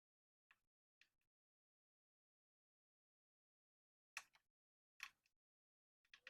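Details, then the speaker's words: Royal Enfield 650 clutch lever after fitting CNC levers: faint sharp paired clicks as lever is worked, clutch sensor switch tripping from too little free play; fix is loosening cable at engine side to add play. "we need a bit more of a play because uh I can hear that sensor switch getting clicked so I'm gonna loosen it up uh from the engine side a bit so we can get a little bit more cable in this that way we can increase the play a bit more"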